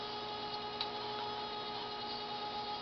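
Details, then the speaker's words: Refurbished Dokorder 8010A reel-to-reel deck duplicating a tape near the end of the reel: steady thin squeal over a low hum, the squeak of tape passing through the guides, which is normal sound. "that sound is the squeak of the of the tape actually going through all the guys it has to do it's normal sound"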